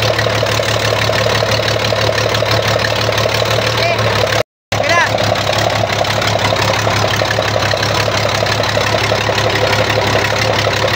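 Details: Weichai diesel engine after injection pump replaced under warranty and injectors changed to cure backfire and a glowing exhaust: steady, even idle with no misses, pops or knocks, smoke and backfire gone; normal idle.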